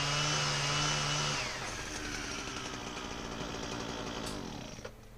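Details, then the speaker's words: Husqvarna 122HD60 two-stroke hedge trimmer test run after service: steady high buzzing note with fast even cutter chatter; cutter works properly, though engine runs not that well, possibly old fuel. "motor is not running that good needs a two and up yet i don't know what they're putting in the fuel tank if it's just old fuel or what the cutter's working the way it's supposed to"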